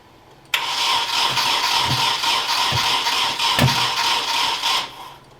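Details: Nissan 240SX S13 KA24DE swap, cranking with timing suspected off: starter spins quickly and evenly about four seconds with a few dull pops, never catches. Cause suspected, not confirmed.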